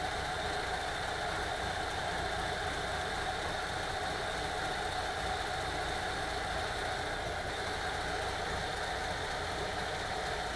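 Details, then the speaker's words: VW T3 2.1L after heads replaced, cured of rough running and misfire from a burnt, non-sealing number two exhaust valve: even, steady idle with no misses, knocks or stumbles; smooth and healthy. "nice and even running again with the heads replaced"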